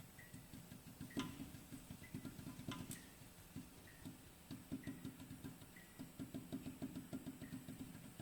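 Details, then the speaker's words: BMW i3 front suspension with the strut rod rocked by hand: light, dull knocks two or three a second, with play at the rod's centre position. Worn strut rod knock. "то есть я число болтаю туда-сюда во первых он люфтит во вторых есть небольшой стук"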